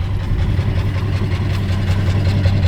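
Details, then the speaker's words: 1961 Plymouth Belvedere, long-parked in barn, driven around yard after starting; low lumpy idle with occasional dropped pulse, a cylinder missing; temperature reasonable, brakes very sticky. "sounds like we got a miss but uh should get us around the yard I hope"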